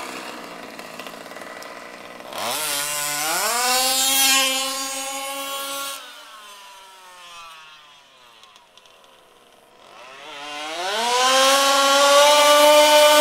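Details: HPI Baja SS RC car with Zenoah G320 two-stroke and V2 Dominator exhaust, rebuilt from a junker, on 91-octane ethanol-free fuel with Bel-Ray oil at 32:1; sharp screams on each throttle blip, high and thin at the top, slightly lean on the high-speed needle (later corrected).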